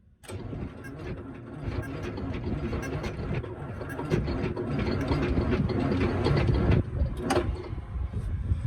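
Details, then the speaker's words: Truck engine, previously stuck (cause believed in the clutch) and now freed, injectors removed: sluggish, uneven starter churn that never picks up speed or catches, needing more battery power; slow cranking. "I need some more juice than that, ain't we? Alright, well you see it turn over, so let's find some batteries."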